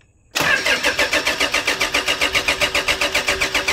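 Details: 2008 Toyota Fortuner, cranking after replacing thin, pinched suction control valve O-rings (pressure pump gave no fuel; shop had blamed pump): steady even cranking about four compression beats a second, not yet catching; it then started.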